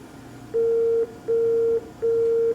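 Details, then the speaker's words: PowerMac G5 powered on right after installing a new DVD burner: three long identical mid-pitched beeps with short gaps instead of the normal chime, a startup fault code. "Something's gone wrong. Why is the computer making that noise? What has gone wrong?"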